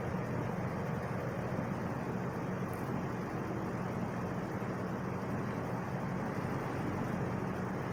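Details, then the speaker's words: Wizard box fan starting on low speed, windings and capacitor look good: steady even whoosh with no hum or rattle, motor comes right up to speed and runs smoothly; normal startup. "i mean it it starts up it comes right up to speed there's no hums no loud windings or anything like that"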